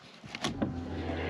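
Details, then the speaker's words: Porsche 911 (996) with a no-start from no fuel: with the fuel pump relay socket jumpered (pin 87), a sharp click then a steady low electric hum. The pump runs fine, suggesting the fuel pump relay should be the only problem. "yeah, I can hear it. Ah, that's excellent news. Then, the only problem should be this relay."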